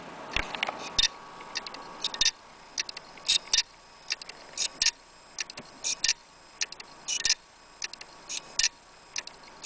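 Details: Failing laptop hard drive that is not detected at all: sharp dry clicks in uneven bursts, roughly one cluster every couple of seconds, with no spin-up hum. Classic click of death.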